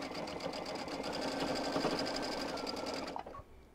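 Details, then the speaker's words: Sewing machine doing embroidery or applique on minky plush fabric after its bobbin case problem was sorted; a quick, even stitching rhythm of around four stitches a second with the earlier squeaking gone, stopping cleanly; normal running. "was just my bobbin case oh it sounds so much better even i could hear the squeaking"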